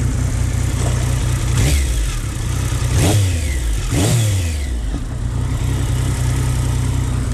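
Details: Triumph Speed Triple 955i, restarted and ridden after a weird noise, later stalling: a deep engine drone with heavy clunks about one a second poking through; clunking noise with an unknown source.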